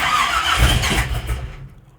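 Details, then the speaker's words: Truck project, first-ever start after driveline, fuel, coolant and transmission line work, possibly flooded after cranking without distributor power: loud, uneven burst on catching, then falls away quickly; cold start, rough running. "It fired. Give me more. Oh, she's a cold-blooded beast. Oh my god, it's so loud."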